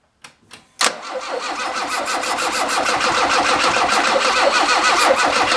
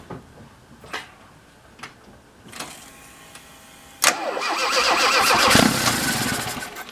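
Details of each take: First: Alfa Romeo with a SPICA mechanical fuel-injection pump that runs too rich; after fuel-system checklist work, a couple of short cranks, then it catches into a busy, slightly uneven idle. Rough running points to fuelling; the pump may need replacing, unconfirmed. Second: Alfa Romeo with SPICA mechanical injection pump, after the pump gap, rod length and timing were adjusted to cure very rich running: a few clicks, then the engine catches on the crank and settles into a steady run; it starts and runs properly now.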